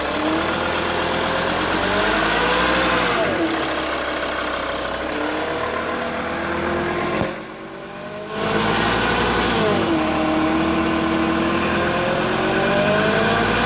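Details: Mercedes-Benz W211 270 CDI diesel hums between 1000 and 2000 rpm with and without the belt; starts well cold, no knocking; oil pump replaced without effect; hum goes away when front is raised 5–10 degrees; steady drone tracking revs, source unknown.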